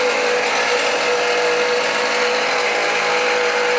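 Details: 2013 Jeep Patriot Limited 4WD idling with the belt on, after new tensioner and idlers were fitted. A steady harsh grinding hiss with a fixed high whine, constant at idle, comes from a worn alternator bearing, later replaced.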